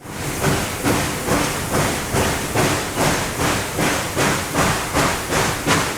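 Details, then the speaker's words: SoundTraxx-equipped model steam locomotive at speed step 15 with dynamic exhaust: even chuffs of about two and a half per second in a steady four-beat pattern, four chuffs per wheel revolution, normal exhaust. "So as you can see with the real world examples, you can hear those 4 chuffs per revolution."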